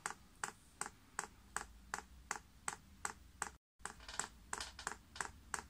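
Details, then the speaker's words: Chinese diesel heater with LCD controller priming on first use, paraffin fuel: dosing pump gives sharp, even ticks two to three per second while filling the pipes, as normal. "I can hear that pumps clicking and easy fact now priming"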